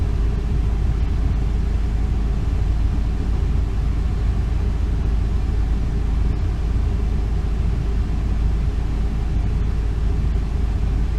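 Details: 2002 Ford E350 Econoline, 5.4 Triton V8, a little over 100,000 miles, after new spark plugs and one coil pack for a misfire and P0351 code; smooth, even idle with no skips over eleven seconds, no misfire.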